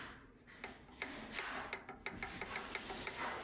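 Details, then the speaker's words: 177-type walk-behind tractor engine, opened with crankshaft turned by hand after a new bearing: sharp metallic clicks about three a second, timing gear knocking from large backlash. Camshaft replacement is planned, then the paired gears if needed. "эта шестерня распрет вот так вот в зубья стучит Даже при собранной крышке Вот вот этот звук ему и не нравится что когда он работает звук такой идёт поэтому сейчас посмотрим ну люфт конечно большой"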